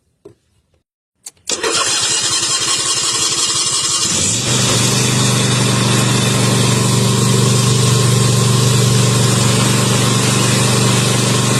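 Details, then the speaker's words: Toro Time Cutter mower, previously a no-start caused by a clogged air intake that was starving it of air; after clearing it, a brief crank, it catches within a second and settles into a steady, even run. "this here is what clogged it wasn't allowing it to get air to start"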